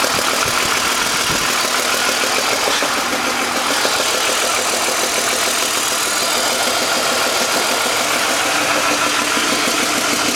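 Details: BMW M52 inline-six petrol engine idling with a busy, rattly ticking layered over its steady run; abnormal noise at idle, cause undetermined.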